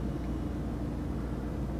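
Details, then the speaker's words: Whirlpool fridge freezer WRT311FZDZ01 after defrosting and resetting to the recommended setting: low steady hum with soft even drone, no clicking or rattling; compressor and fan running normally. "And you can hear the compressor and the fan running."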